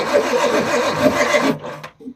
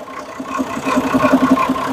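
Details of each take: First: Perkins 6-cylinder diesel in homemade RV on 1966 GMC bus chassis, bleeding injector lines: starter grinds it over at about three beats a second for a second and a half, never catches; air lock in fuel lines. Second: Perkins 6-cylinder diesel in homemade RV on 1966 GMC bus chassis, running after about 10 years unstarted, good oil pressure: even regular idle clatter, no stumbling or skipped beats; sounds healthy.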